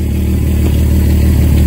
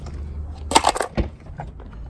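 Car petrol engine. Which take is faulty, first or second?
second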